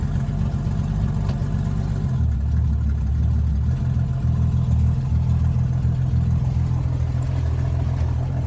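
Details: 1961 Mercury Comet 200 straight six, manual choke, cold start: settles from rougher start into loose uneven idle with puffing exhaust beat; exhaust leak suspected.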